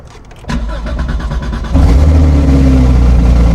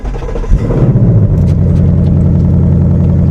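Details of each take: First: Damaged salvage car at Copart with automatic transmission and rear-end damage, cold start: cranks and starts nicely, then a loud, raspy, uneven fast-idle rumble; a little exhaust leak is suspected from the rear damage, not confirmed. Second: Copart salvage car, 61,000 miles, with only one side undamaged but still starts, runs and drives: catches after a short crank and settles into a smooth, even deep idle with no knocks or ticks; sounds healthy.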